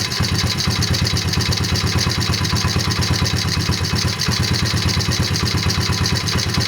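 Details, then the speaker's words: 2003 Honda XR50R 50cc at idle: a steady light rhythmic tap about twice a second, louder on the right side of the engine. It is suspected to come from the transmission/crankshaft area rather than the valvetrain; the source is unconfirmed. "the engine is idling it's a rhythmic tapping and I believe it's louder on the right right side of the engine"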